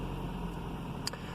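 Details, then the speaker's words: 2007 Ford Ka after coolant temperature sensor replacement, started from cold on a jump pack; cranks a little slowly, starts quickly and runs smooth with an even low hum, no knocks or stumbles. "started up nice quickly it's running smooth if i rev it up revs up nice and smooth"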